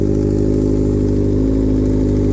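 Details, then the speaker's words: 2006 Honda CBR600RR with a hot-engine rough idle, just started with the airbox top off exposing the throttle body boots, before top end cleaner treatment; even steady hum, constant pitch, no misses or surging, relatively smooth idle. "idling relatively smooth make sure you don't drop anything down in there"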